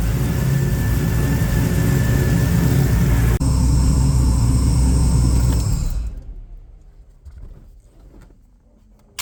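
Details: XG ute, newly converted from carby to Holley EFI, idling after first start with idle screw turned up: steady, regular idle for about six seconds with no misses or hunting, then switched off; normal idle.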